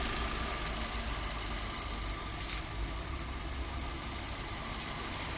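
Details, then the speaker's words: Hyundai i20 diesel just started after service with common rail and air intake refitted: quiet smooth idle with soft even patter, no knock, rattle or hunting; normal idle. "हाँ, तो engine हमारा start हो गया है, बहुत smooth start हुआ है।"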